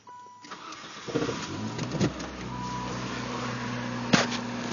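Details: Saturn S-Series after replacing an idler pulley whose failing bearing whined loudly at higher RPM: the engine catches after a brief crank and settles into a smooth, steady idle with no belt or pulley whine. Normal idle.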